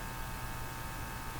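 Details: Hallicrafters TW2000 communications receiver: faint steady hum with thin higher tone, unchanged by front controls, so likely from deeper circuits; audio hum source not found.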